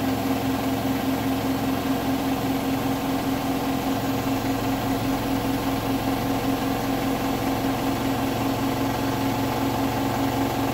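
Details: Hotpoint washing machine on the bed and bath cycle, final spin at 1400 rpm: steady high spin hum with a faint, fast, even knocking pulse through it.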